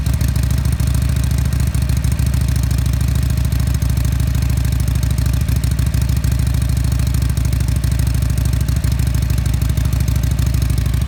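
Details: Harley-Davidson Sportster SuperLow V-twin, 4,300 miles, just started: deep, loping idle holding steady with an even potato-potato beat, no knocks or rattles; normal, healthy idle.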